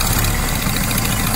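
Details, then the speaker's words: Datsun J15 idling after head gasket replacement and valve clearance adjustment: steady low idle with a faint rapid ticking puff; owner suspects a blown exhaust manifold gasket, not confirmed. "a blown-out exhaust manifold gaskets or one of those and I won't see that for next week"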